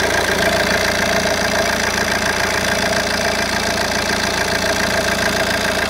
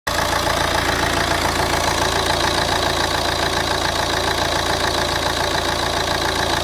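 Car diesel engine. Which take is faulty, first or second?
first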